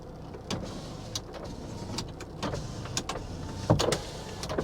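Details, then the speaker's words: C4 Greenwood Corvette at an IAA yard, engine started with no warning lights: short power window motor whirs up and down smoothly with no grinding or stalling; all windows work, though blower motor is dead. "all windows work no kidding"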